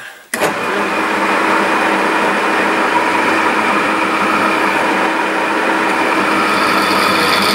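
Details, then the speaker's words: 1950s Meddings Pacera MB2 pillar drill, new Beatson motor and NVR switch, drilling roughly 3mm steel with a 10mm bit and WD-40: steady, even motor hum with smooth cutting hiss, no knocks or rattles; runs fine. "nothing wrong with that"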